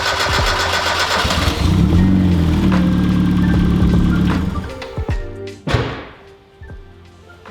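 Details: High-compression turbo 1.6L Miata started after a loud ticking scare; head, valve springs and lifters looked fine: cranks, catches and revs for a few seconds, then settles with no ticking standing out; normal start.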